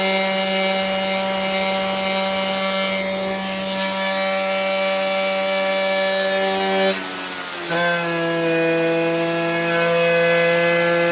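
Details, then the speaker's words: Seizing 90cc Jog two-stroke race motor, 220 psi compression, wrong stroke/rod: high steady buzz that drops and recovers as the engine locks up and smokes, with the melting cooling shroud rubbing. "oh well look at the shroud oh that's what we're hearing what oh the shroud's not picked up okay but it's locked up it's locked up and then it smokes and locks up and smokes"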